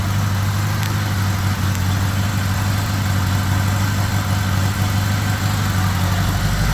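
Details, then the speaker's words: 1975 Honda GL1000 Gold Wing flat-four after a second attempt at the water pump seal, with new gaskets and O-rings, left running to warm up: steady, even low rumble with no knocks or squeals, no leaks. Normal idle. "Right now, it's sounding pretty good. So, I think we might have a winner, finally."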